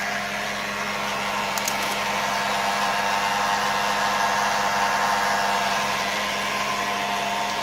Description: 2006 Volvo XC90 V8 makes a whirring rattle at idle.